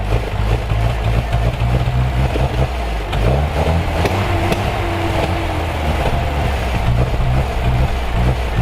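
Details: Fleet car started, cranking with the key, with a frozen clutch and flat tires: the engine fires and runs with a steady, deep exhaust note and clean throttle blips. It sounds healthy and even.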